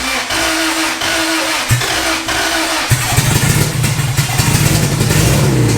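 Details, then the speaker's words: Boosted Acura Integra project, first fire-up: starter whirs a few seconds, engine catches and runs ragged and uneven, struggling to stay lit before stopping; hard starting, cause unclear. "come on tap it or now That's All She Wrote fam at least for right now okay I don't want to keep trying to do this"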